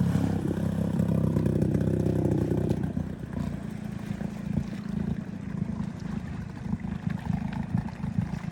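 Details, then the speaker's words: 6hp Hangkai two-stroke outboard with its lower-unit exhaust cap blown out. A loud, raw, rapping open-pipe exhaust note rises with throttle then eases off, because the exhaust escapes above water instead of through the water. "So we took it out. It's a lot louder. It kind of sounds like a straight pipe. It's not actually coming out through the water."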